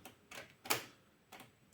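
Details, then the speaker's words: Japanese cassette player after light cleaning, tape inserted, play and stop failed: sharp dry clicks repeating at uneven half-second gaps, mechanism clicking constantly and won't release the cassette; cassette mechanism clicking repeatedly, tape will not eject. "Що воно ж типа не випускає касету тепер. Воно тепер клацає постійно."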